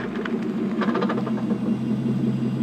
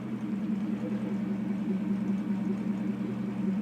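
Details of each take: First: Porsche 928S automatic, cold, idling about 1 minute after 4 hours off, in reverse only: rapid ratcheting chatter like a roller coaster chain lift, absent when warm; transmission failed about 8 months later and was replaced. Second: Porsche 928S reversing while warmed up: steady engine hum with smooth low drone rising gently, no whine or clunk; the strange noise occurs only in reverse when cold, and the transmission later failed.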